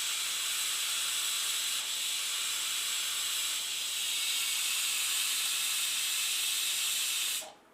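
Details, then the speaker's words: Pressure cooker cooking dal and greens, lid closed, water kept at dal level as a boil-over fix: steady high steam-whistle hiss for about seven seconds, stopping cleanly with no water or sputter escaping; normal release. "ಈಗ ಇನ್ನೊಂದು whistle ಬರ್ತಿದೆ ನೋಡಿದ್ರಲ್ಲ ಒಂದು ಚೂರು ನೀರು ಆಚೆ ಬಂದಿಲ್ಲ"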